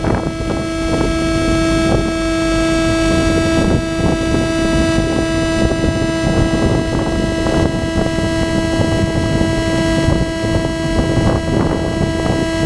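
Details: GoPro plugged into a DJI Phantom 2 Zenmuse HD-3D gimbal; loud unchanging whine with stacked overtones over wind noise throughout the recording; electrical whine in audio recording.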